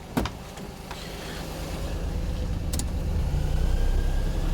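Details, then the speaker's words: Perodua Kenari on 60,000 miles after alternator replacement, electrical load switched on at idle: revs rise slightly to compensate then hold smooth; engine working harder but not unhappy, only a faint trace of the old whine remains. "Hear the revs go up to compensate. It's working harder. It's not unhappy."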